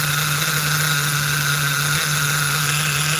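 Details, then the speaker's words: Force .25 CNC nitro RC engine on its second heat cycle of break-in, still rich up top: steady, smooth, even buzz with no misses, idle slightly high but acceptable. "Idle's a little high, but that's okay. Yeah. Smooth."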